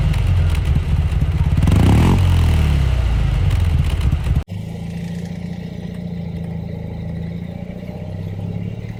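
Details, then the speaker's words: 1950s Panhard Dyna X86 Sprint air-cooled twin heard from the back: loud revving after start, then steady low even idle with coarse agricultural beat; rough-sounding but healthy. "let's start her up because i want you to hear how she sounds it's quite agricultural but honestly she's really grown on me"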